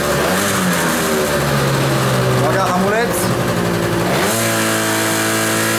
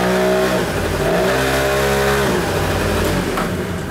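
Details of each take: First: Kymco Vitality scooter from Norway, engine still cold, revved against the brake after centrifugal clutch spring adjustment: holds revs firmly without bogging, where before it lost revs and lacked pull off the line; normal revving under load. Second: Kymco Vitality scooter from Norway, long unserviced: revs stay high, then pitch sags sharply when the brake loads it. The CVT clutch engages too early and the engine lacks torque to pull away; the drive needs adjusting and the CVT needs servicing.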